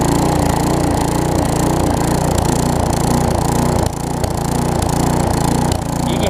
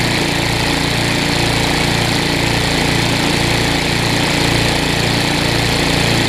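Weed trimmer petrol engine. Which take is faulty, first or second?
first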